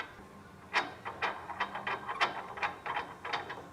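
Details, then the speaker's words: 2002 Ford Explorer front end: repeated dry, creaky squeaks, two or three a second, as the wheel is turned left and right, from a dry lower ball joint with no grease. "this will cause a squeak when you turn your wheel left and right see that ball joint lower ball joint there's no grease in it so it was on the ground was jammed up like this and when you turn the wheel this is what you hear you hear it"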